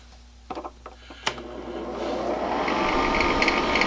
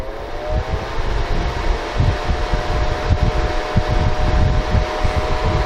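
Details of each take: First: Honeywell ionizing HEPA room air cleaner used as a bedroom white-noise maker: as the fan spins up, a fierce rattle of about four per second builds over the air rush; owner suspects something stuck unbalancing the fan; caused by a dirty fan and dry bearings. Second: Honeywell ionizing HEPA room air cleaner after repair, reassembled: soft steady whoosh with a faint constant hum and no rubbing, squeal or rattle; bearings given a drop of oil; runs normally, nice and quiet.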